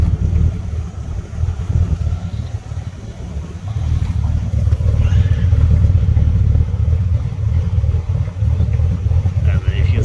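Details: Ford EB Falcon manual six-cylinder, cold start after sitting over a week, slow to start, black smoke, leads checked and sparking, before throttle body/actuator cleaning: low lumpy stumbling idle instead of steady hum; rough idle, cause not pinned down.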